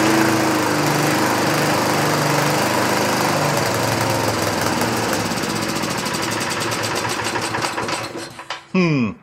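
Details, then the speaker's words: 1960s Roof push mower, no air cleaner: engine runs at a steady rough drone then dies over the last second, stalling; owner first suspected too lean, then too rich, possibly carb not getting enough fuel; cause unclear. "It's I think it's getting too rich. Too much fuel."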